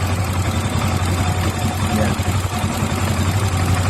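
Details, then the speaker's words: Honda Click 125i, hard to start in the morning, after valve clearance adjustment for a tight valve: small single-cylinder engine holds a low, even, steady idle without stalling; runs smooth. "อ้าวปิดแล้วครับนี่ครับก็เดินเดินนิ่งนะครับไม่ดับนะครับถ้าวาล์วไม่มันไม่ยันก็จะไม่ดับนะครับ"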